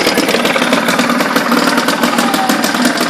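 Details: 1976 Ted Williams Sears 7.5 hp two-stroke Tecumseh air-cooled outboard, carb and fuel lines redone, lower unit oil changed, running in a small tank of water: steady, even idle with a quick crisp beat and no knocks or misses; runs healthy.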